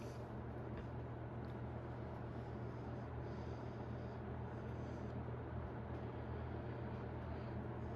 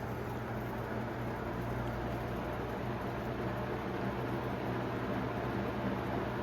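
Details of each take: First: 1991 Robeson 20-inch box fan on low speed, drawing 0.69: steady, quiet, even low airy hum with nothing out of place. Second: 1991 Robeson 20-inch box fan on medium speed, drawing about 1.05: steady fan rush with a low buzzing hum from riveted guard and motor brace worked loose and vibrating, plus a slight blade imbalance.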